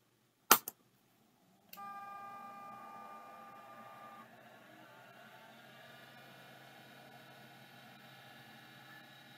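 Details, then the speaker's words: Hard drive (referred to as an "MMI 112") spinning up: a couple of sharp clicks, then a thin whine as the platters reach speed and settle into a quiet steady hum. Normal spin-up; the drive appears to be working. "this it sure sounds like it's working"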